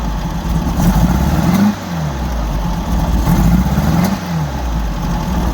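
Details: 1964 Volkswagen Beetle air-cooled engine revved in neutral: sharp pops breaking through on throttle blips; backfire when revving, owner suspects from the carbs, worse under load, source unconfirmed.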